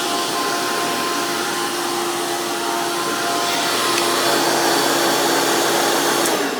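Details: Hoover PowerMax II U5246-940 upright vacuum (2002), direct-air design with 12 amp motor, high RPM and 20-blade fan impeller, after motor work: loud, high, steady motor whine with rushing air roar, no rattles or scraping. Normal running.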